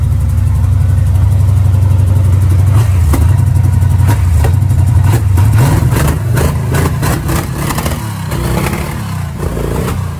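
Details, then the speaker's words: '69 Camaro V8 at first start after swapping a Holley 650 double pumper for an Edelbrock carb, with blackened fuel seen in the filter: a lumpy, stumbling idle with throttle blips. Owner suspects a misfire and plans to change the plugs and wires. "sounds like it's misfire I have to change the plugs and wires out here"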